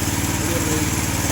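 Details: New 212cc Predator engine repowering a homemade log splitter (replacing a 5hp Tecumseh): low, steady single-cylinder idle with even firing, no stumbles, during testing. Normal idle.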